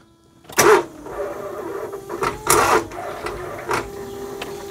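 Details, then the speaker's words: Smart Fortwo 450 Cabriolet with a seized alternator, after refitting the belt: three short, labored starter bursts with a strained whir and rattle, each dying without the engine catching; starter struggling to crank. "oh no that's still not very happy is it no that's not happy but that didn't feel"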